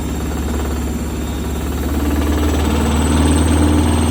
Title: Does this knocking sound, sound strange? Is the motor loose again??